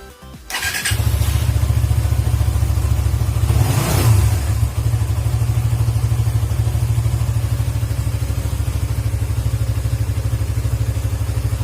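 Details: Suzuki GSX motorcycle whose stumbling or near-stalling on closing the throttle was traced to a dirty idle speed control (ISC) valve, fixed by cleaning it. Steady, even low idle thump, one clean throttle blip that drops back without stumbling. Normal idle and rev.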